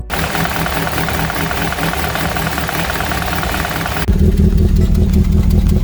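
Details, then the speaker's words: 2014 Nissan Rogue with code P0014: heavy, low, uneven, lumpy throb like a misfire, with a solid, not flashing, check engine light. Caused by a faulty exhaust-side variable valve timing solenoid, later replaced. "well my car just started struggling sounds like it has a misfire but my check engine light is solid it's not blinking so that tells me it's something else"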